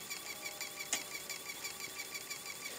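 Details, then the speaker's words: LG Blu-ray drive loading Windows Vista DVD: light high-pitched ticking and whirring about three times a second with one sharper click, the usual LG Blu-ray loading noise as it switches between its two lenses checking Blu-ray versus DVD; normal. "Alors si vous entendez ce bruit, hein, j'en ai demandé à certains qui avaient le même, c'est les bruits récurrents des Blu-ray LG quand ils chargent. C'est un peu bizarre comme bruit, mais c'est quand il intervertit sur les deux lentilles, il regarde si c'est Blu-ray DVD, Blu-ray DVD, Blu-ray DVD,"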